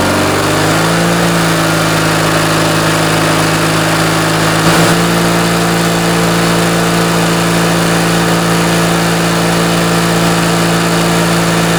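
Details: Briggs & Stratton 19.5 hp opposed twin-cylinder riding-mower (Craftsman) engine on bench test after sitting, carb rebuild and stripped main jet repair: steady, even low-pitched drone held smooth throughout, no misses or knocks; running healthy.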